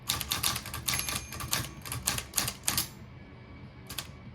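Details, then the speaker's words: Olivetti Lettera 22 manual typewriter: quick crisp key strikes in a steady typing run, then margin bell rings near line end, warning the line is almost finished; normal operation. "You hear the bell, that means you're almost at the end of the line."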